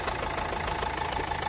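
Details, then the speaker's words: Old Renault Duster diesel with a long crank on morning starts, bonnet open: a rough chuffing knock about seven times a second at idle, with unburnt diesel smoke. Misfire. "इसके पास फटाफट है और ये miss fire है मतलब"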